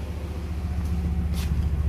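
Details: 1996 Nissan 300ZX 3.0L at idle, heard at the exhaust with code P0306: an uneven, pulsing idle with rhythmic pop-pop puffs and stumbling. A high-resistance, intermittently working injector causes the cylinder misfire; the intake must come off to replace it.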